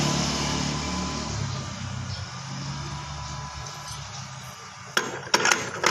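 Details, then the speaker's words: Suzuki Spin scooter idles with a rough, low growl from the CVT. The cause is the double-clutch housing, whose neck is badly worn and wobbling; the noise goes away with the clutch bell removed. "nah ini permasalahan utama bahwa spin yang ngorok itu ada di leher lari yang sebelah sini ya"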